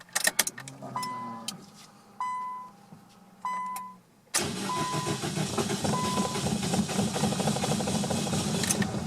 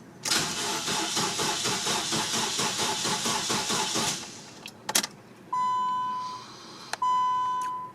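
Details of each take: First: 2001 Nissan Sentra on its first start after installing a new fuel pump assembly, with the tank almost empty. Short cranking bursts, then it catches at about four seconds and settles into an even run. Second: 2001 Nissan Sentra with a fuel pump problem that won't start. Starter cranks steadily for about four seconds and never catches, then chimes; crank, no start.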